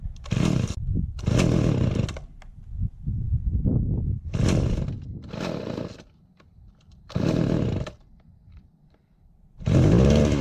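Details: Mac 3200 chainsaw after a new muffler, a clutch spacer fix and a kill switch repair: snarls up cleanly in repeated full-throttle bursts, then drops back to a steady idle each time, running strong like a new saw.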